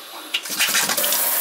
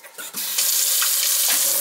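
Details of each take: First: Kitchen faucet that vibrates and makes noise when turned on: short hissing, spitting splash as the water squirts out instead of flowing smoothly; fault could be in either the diverter or the sprayer. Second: Kitchen faucet that had vibrated and made noise, after the faulty sprayer was replaced with a matching one: steady, even water hiss with no buzzing or vibration; the sprayer alone was the cause.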